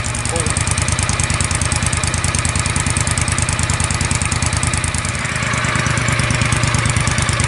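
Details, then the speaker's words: John Deere Gator 625i UTV with stock exhaust, before the auxiliary muffler is installed; loud, steady pop-pop-pop exhaust popping at idle, roughly eighty sharp pops a minute, average stabilized at about 95 dB. "You guys can hear that popping noise, that pop, pop, pop, pop, pop, pop, pop noise that the"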